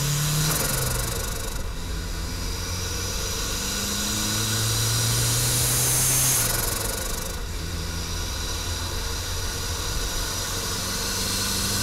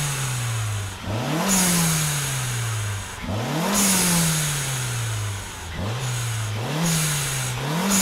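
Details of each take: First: Budget turbo Mazda Miata with an eBay HKS-copy blow-off valve, vacuum line disconnected, pulling through the gears: loud airy whoosh under boost because boost no longer holds the valve shut. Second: Budget turbocharged Mazda Miata with its eBay HKS-knockoff blow-off valve removed, free revs: revs climb and drop repeatedly, each lift-off followed by a sharp hissing whoosh; healthy engine.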